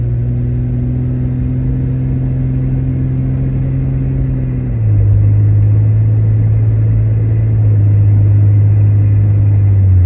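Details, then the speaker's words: 2000 Jeep Cherokee XJ 4.0L while driving after replacing the ignition coil with an MSD coil: steady, even low engine drone that stays smooth through a gear change, no misfire; running better than before. "This old 4.0 is a singing her song. She's just singing her songs."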